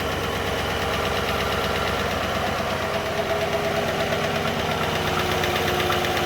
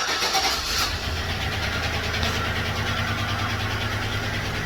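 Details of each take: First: 2013 GMC Sierra 5.3L V8, 198,000 miles, after replacing all lifters, camshaft, timing chain and oil pump for stuck cylinder 6 lifter: fresh start, smooth steady idle, light valvetrain patter fading as lifters prime, good oil pressure. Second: 2013 GMC Sierra 5.3L V8 at 198,000 miles idling unevenly with a stumbling, ticking lope from a stuck lifter on cylinder 6 whose valve is not opening, causing a misfire; lifters, camshaft, timing chain and oil pump are later replaced.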